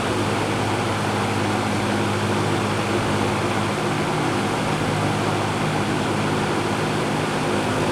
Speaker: it's actually nice enough to sleep with very pleasant sound